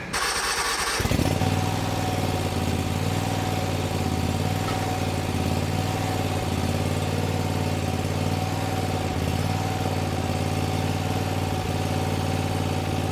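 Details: Bad Boy zero-turn mower, fire-damaged engine repaired, after a one-turn drive-linkage adjustment that fixed pulling to one side: fires after about a second and settles into a steady, even throb holding speed; healthy engine.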